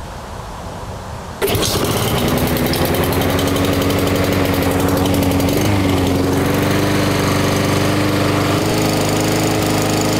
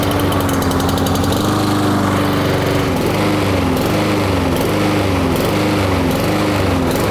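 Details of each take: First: Small lawn mower engine after carburetor cleaning and jet enlarging to cure surging: starts and settles into steady, even speed with no rise and fall. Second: Honda-engined lawn mower revving up and down in a steady cycle, surging/hunting at governed speed from lack of fuel, a carburetor issue.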